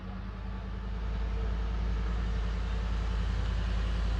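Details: Ford F-150 after replacing blown fuse no. 20 for fuel pump module, which caused crank-no-start: steady even low V8 rumble settling into idle, no misses or knocks; runs smoothly.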